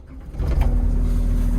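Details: Develon DX85 excavator that would not start: the diesel engine catches quickly and settles into a steady, even low rumble.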